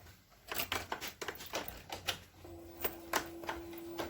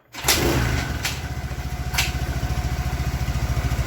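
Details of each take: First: Suzuki Nex fuel-injected scooter before teardown, with heavy white smoke, oil running out fast, power loss and a very rough sound: after handling clicks it fires up loud and coarse with a harsh uneven roar; piston damage. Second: Suzuki Nex fuel-injected scooter after rebuild with new piston (old piston destroyed from running low on oil, causing white smoke and rough sound): catches after a couple of thumps, settles into quick, even putter, no knock; smooth healthy idle.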